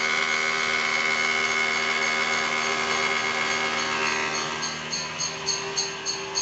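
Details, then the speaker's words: 2010 Toyota Alphard 2AZ-FE, cold engine just started: a harsh metallic whirring rattle over the idle, steady with engine speed, most noticeable when cold. Balancer shaft likely worn or breaking up. Balancer shaft gear noise. "itu Salah satu gejala problem yang ditimbulkan oleh suara kasar dari balancer shaft pengin ya Jadi pada saat memang awal saat dingin bunyinya gitu Ya kemungkinan besar sih Balance resepnya nih udah mulai hancur ya"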